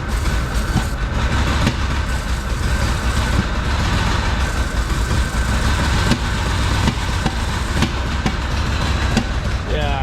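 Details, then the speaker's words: Rare Porsche 928, first revival with old fuel: low, lumpy idle with uneven beat and occasional backfire pops; rough idle, owner suspects a vacuum leak. "it runs a little bit better when I sounds like when it's getting at it's running on all four it's backfiring that seems to me like vacuum"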